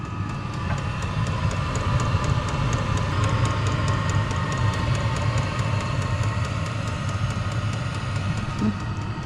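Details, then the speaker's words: HCalory all-in-one diesel heater, new, first self-primed startup: steady low combustion rumble with fast even fuel-pump tick about three times a second; started easily with no priming and no smoke, running normally. "No priming needed. Pretty well fired right up. Just had to hit the power button."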